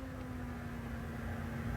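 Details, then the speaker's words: Small 3D printer cooling fan cranked up on a 15V 1A power supply: thin steady whining tone over a low hum, ringing through the machine noise; at 10 volts it blends in. "When the printer's going, I gotta dust that out a little bit, but when the printer's going, and you hear that noise, like everything all combined, that tone rings through. I don't know what frequency it's at, but gosh, it gets so annoying."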